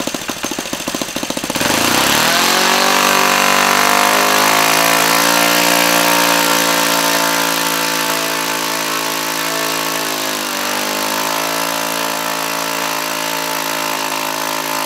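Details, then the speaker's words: Laser 100 single-cylinder RC model engine, first run after 15 years without cleaning: screaming, then a steady buzz that sags in pitch around ten seconds with a harsh metallic edge. The front housing came loose; after rebolting it still clanked and knocked. "I did manage to bolt the engine the front housing back onto the main block I could turn it over the wall steel compression but definitely had a very metallic clanking and knocking sound where it didn't before"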